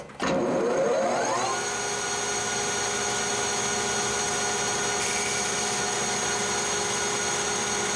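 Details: Lathe facing hardened and tempered 4140 chrome-moly steel at high spindle speed, 0.025 depth of cut; spindle spins up then steady even hum, clean hiss, blue chips, turnings instead of chips, better finish; normal cutting sound.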